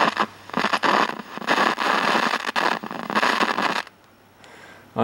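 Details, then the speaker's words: Late-1960s/early-70s AWA P1 11-inch valve black-and-white portable TV: bursts of loud scratchy speaker crackle with each slight touch of the power/volume control, then drop away. Owner suspects a bad valve in the audio stage. "and it's got a small circuit board mounted on Bes side and this also got a little issue of volume just the slightest adjustment and you can hear you can hear"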